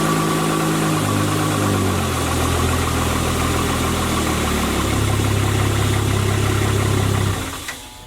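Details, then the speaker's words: Spartan Urban Warrior hydro jetter, water on, revved to about 2200 RPM. Steady even hum with no hiss or sputter before shutdown. Normal running. "now we got it Juiced up right now I'm going to give it some more RPMs we're at uh like 2200 RPM"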